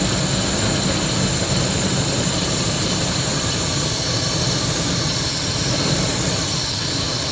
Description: Rough idle to engine death, sounds stifled as if not getting enough air.